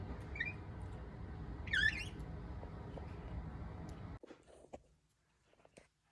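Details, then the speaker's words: Old TEAC belt-drive turntable, long unused: heavy low rumble with a brief, high chirping squeak; the platter periodically bounces and vibrates badly, making the needle jump. "Although since I'm listening to music, I would want to get rid of the squeak, obviously, but the little bounce, the vibrating that it does is really annoying."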